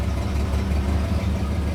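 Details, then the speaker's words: 1959 Pontiac V8 at idle in park, after reinstalling spark plugs: lumpy, stumbling idle with uneven dips like a cylinder dropping out, with slight belt squeal; misfire disappears with throttle; owner suspects the carburetor, not confirmed. "Yeah, the misfire is still there pretty bad. It doesn't even want to like run."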